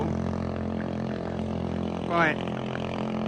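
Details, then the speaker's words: 110cc single-cylinder engine in a three-wheeler, with a new stainless exhaust, fuel line changed to a single line and clogged parts cleaned: runs uneven and lumpy with a brief rise in revs. Owner blames the tiny carburetor. Rough running engine. "we're going to be getting a new carburetor for this thing a bigger one so it can flow better cuz that one's tiny"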